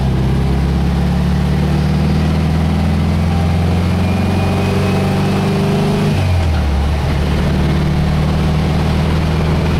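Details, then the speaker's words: Engine on road test cruising about 50 mph at 2,900 rpm: deep steady drone with hum, buzzing sound, dipping briefly as throttle eases then settling; shimmy possibly from poor tyres. Normal cruising. "That's 2,900 RPM. So. It sounds like it's buzzing"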